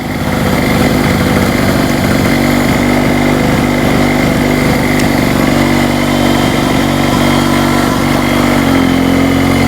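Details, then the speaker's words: Hurricane 850W 240V two-stroke generator after the fuel was corrected to less oil and the spark plug tightened, under a load set on low: steady drone, pitch easing slightly as load comes on, no misses or hunting, so it runs properly under load. "She's working."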